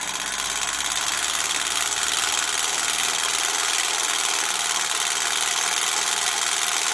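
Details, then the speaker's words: Ciné Kodak Model A 16mm movie camera, partly torn down, running at full speed driving sprocket, flywheel shutter, take-up reel and footage counter: fast, even whirring gear and shutter chatter about four beats a second, steady; healthy mechanism. "okay through this gear Arrangement and spring yeah it drives the take up reel and through this worm gear arrangement it moves very slowly the footage counter"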